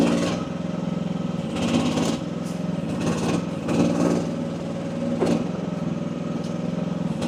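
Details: AGT WH12R 1-ton Chinese mini excavator, relief pressure set at about 2300 PSI: small diesel pulls steady while hydraulics groan in bursts during digging, no bogging or stalling; owner feels this setting is optimal.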